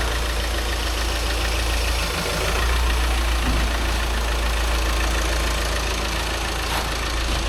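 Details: VW Crafter diesel van just after clutch and flywheel replacement, being test-moved: steady, even diesel rumble at idle with no knocks, slips or grinding over the low hum; normal idle.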